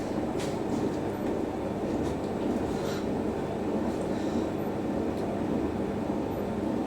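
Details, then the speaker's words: Siemens iQ300 washer dryer on a wool cycle stress test, drum turning before spin: a steady low rumble with a faint rattling texture. Worn drum bearings are suspected. "Oh, come on. Oh, I can hear the bearings rumbling."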